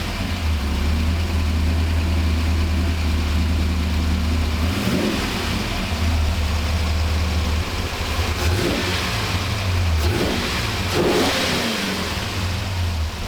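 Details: 1985 Monte Carlo SS with a cammed 6.0 L LS, first start on all 8 cylinders after freeing stuck injectors: deep, even V8 rumble idling smoothly and picking up cleanly on each blip; normal idle and revving, with a slight stumble remaining at light throttle.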